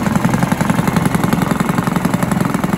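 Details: Barford cement mixer with Villiers 10 petrol single-cylinder engine, no choke, running steadily with even chugging and no misses or knocks; starts easily, though compression is not excellent and fuel runs through even with the tap off.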